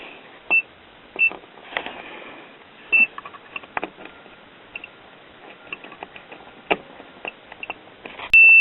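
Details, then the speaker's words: Continuity check on a 1957 RCA Institutes kit AM tube radio chassis, one meter lead on chassis: short beeps, then a long steady tone, confirming every ground connection is good. "that's good and that's good so everything is grounded as it should be"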